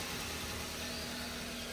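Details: Toyota Avanza after repairs to a worn camshaft, valve clearance, timing chain setting, fitted thermostat and hoses, OCV possibly leaking oil: smooth, even idle with steady low hum, no knocks or misses; healthy.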